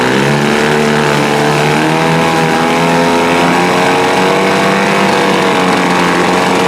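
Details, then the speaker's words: 1948 Sea King 5 outboard (Montgomery Ward, made by Gale), curbside find, carburetor rebuilt, coils and points swapped, probably first run in a long time: high buzzy two-stroke note at steady speed, crisp even firing; runs smoothly. "This thing probably hasn't started in a long, long time. Hey guys, not bad for a 75-year-old engine."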